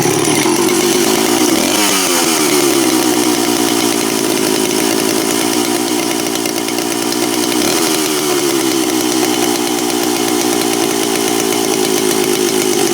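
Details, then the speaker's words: Stihl 041AV chainsaw just reassembled, first start with choke on, not fully warmed: held at high revs it gives a blubbery, uneven buzz rather than a crisp scream. Judged slightly too rich on the high-speed mixture; high-speed and idle adjustment planned. "Going to tune that a little bit. Sounds like it's a little bit too rich on the high speed, but we'll get her on the bench here and warm it up a bit more too, and see if we can get her just to whine out just a bit more."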